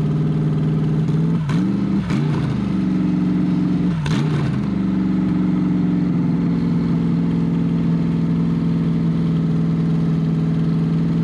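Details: C5 Corvette V8 drivetrain out of the car, unknown-condition engine, ECU connected, first start: three quick throttle blips, then a loud, even open-header burble that settles and holds steady, seemingly firing on all eight. Normal idle.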